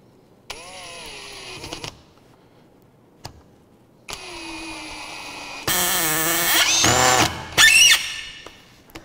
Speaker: So one thing, you might have heard that kind of, not really a rattling sound, but you could hear the bit slipping. So when a Phillips bit and a Phillips head start slipping, that's called cam out.